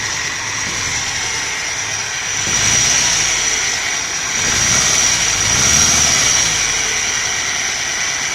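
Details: Nissan NP200 after one belt pulley replaced: engine running with loud hissy high-pitched rush and thin whistle rising with revs; very bad abnormal noise, source not pinned down.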